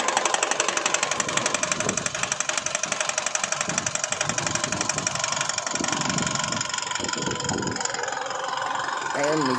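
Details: Isuzu Alterra diesel with hard starting, low power and check engine light: sharp regular knock about four per second over rough idle, caused by front engine wiring harness shorting to ground; fixed by insulating with electrical tape.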